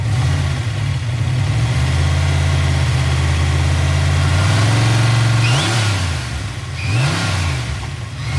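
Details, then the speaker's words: Dodge Dart idling then revved, with a dead misfire: steady tapping about four a second that sounds like a knock; owner suspects the exhaust cutout flapping, not an engine knock. "yeah i'm pretty sure they ain't gonna knock i'm pretty sure that's just that cut out slap them back and forth"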